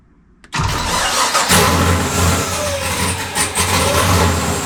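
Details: LS V8 in Nissan S14 first start after engine reinstall (pulled for oil leak), primed and fluids filled; catches immediately, flares briefly, settles into steady even idle with no misses, knocks or ticks; normal start and idle.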